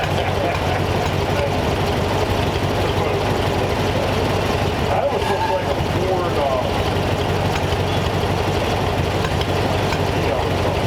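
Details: Replacement flathead V8 (35/6 block) for 1934 Ford idling warm on a run stand, 185°F after 22 minutes, later about 180°F with fan; smooth constant low burble, no ticking, knocking or hunting; normal idle.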